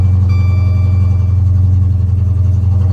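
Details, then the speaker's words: Damaged Dodge Charger SRT8 at auction (6.4 Hemi stated), just cranked; deep V8 idle with uneven loping pulse about three to four times a second, running rough with check engine light on. Cause unknown. "SRT8. A little rough. We're gonna try to crank it up real quick. Oh, it's messed up though."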